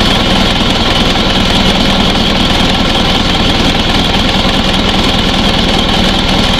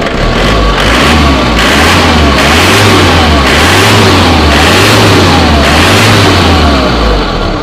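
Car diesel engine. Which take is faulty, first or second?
first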